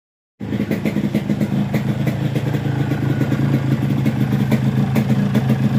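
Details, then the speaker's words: Yamaha RX-King two-stroke with 125Z head, after block and crankshaft rod replacement and rubber inserts fitted between cylinder head fins to damp vibration ringing: quick crisp popping, steady, no fin ringing or rattles; smooth and settled. "setelah kita Pasang karet kop kita dengar hasilnya suara mesin itu bunyinya akan berbeda"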